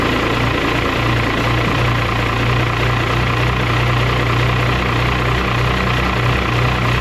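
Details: 12-valve Cummins diesel truck after swapping to a larger Smeding 64.5/68 billet turbo from a 62/65: steady, heavy low diesel clatter holding one idle speed without stumbling or surging; normal idle.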